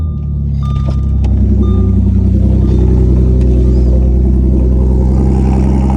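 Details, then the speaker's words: Audi S5 just after a full engine swap: cold start with loud, deep, steady fast-idle rumble that settles smoothly with no knocks or misses; healthy normal cold start. "By the way, the one thing about this car, the cold starts are pretty crazy."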